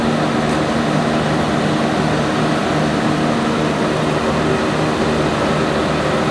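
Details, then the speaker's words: Generator with a 1106 diesel engine, after injection pump droop adjustment and voltage setting, during a load test at 100 load. An even, unwavering drone with no surging or hunting; it holds speed steadily under load. "so now as you can see how stable our engine is and even if we put the 100 load it's still in a good condition"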